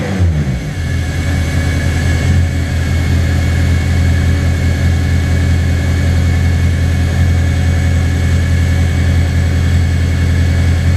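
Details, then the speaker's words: Track car after winter fuel-system work, sitting a week, fine when first started cold but fuel pressure drops once warm and more with throttle: a low rumble running slightly unevenly; owner suspects tank vacuum is killing fuel pressure. "dropping and I'm going to give it gas it drops even more so that's probably the reason why it when it first startup and the warm-up it was totally fine"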